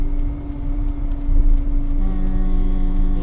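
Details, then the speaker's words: Volvo 960 electric cooling fan before repair. Light regular ticking about three times a second over the fan hum. A workshop found worn bushings inside the fan motor, letting the fan wobble and spin unevenly. "When it was inspected, we found that the bushings inside the fan motor were worn out. The fan was slightly wobbling and no longer spinning as smoothly as it should."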